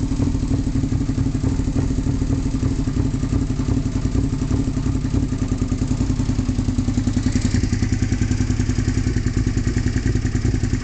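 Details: 2002 Suzuki SV650S V-twin with full M4 exhaust idling roughly, its deep exhaust pulses sputtering off beat instead of a steady lope.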